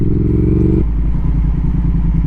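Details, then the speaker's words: Triumph Speed Twin 1200 with Brembo brakes, warm, after anti-squeal fix and new pads, braking gently to stop: only low engine burble and falling revs, no squeal or hiss; brake squeal gone. "de l'avant le doucement un peu plus fort que doucement tout doucement aucun bruit incroyable"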